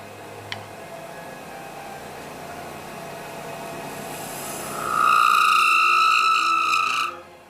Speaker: and we put the tail stock in just to try and stop that noise for you it's just a little bit of chatter because the uh blanks quite long out of the chuck so that'll give it some support